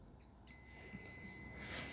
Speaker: mann haben wir ein kurzschluss weil plusminus darf nichts zusammensein